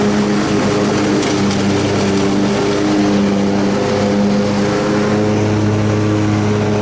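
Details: Rebuilt Troy-Bilt Super Bronco riding mower mowing after repair: steady drone, even low hum and constant-pitch blade whine, with no knocks or bogging. No pounding any more, and it cuts grass fine.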